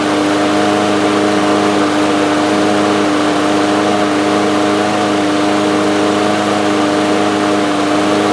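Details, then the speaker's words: DeWalt mower with Briggs & Stratton engine, 2 years old, after carburetor main jet replacement: starts on first pull, steady high-pitched drone with no hunting, running too fast; engine overspeed. "Well, it's running. It started up on the first pull. Seems to be running a little fast. I think there's an adjustment for that."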